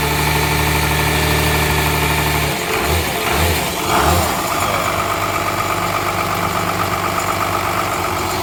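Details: 12-valve Cummins diesel after nine years sitting, fuel shutoff valve pushed up by hand: a few uneven firing pulses then settles into an even idle clatter; runs good, injection pump seems a little sticky.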